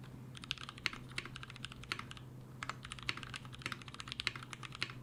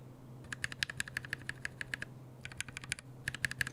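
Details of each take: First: Mechanical keyboard switches lubed with a T2+T3 mix of Brazilian laser-printer fuser film sleeve grease, a possible Krytox replacement; fast, even, soft, consistent typing clacks with no scratch or ping, smooth and well lubed. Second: Mechanical keyboard switches lubed with a T1+T4 mix of laser-printer fuser grease; quick light key clacks with a hollow, plasticky edge, not scratchy, judged more plasticky than the other mix.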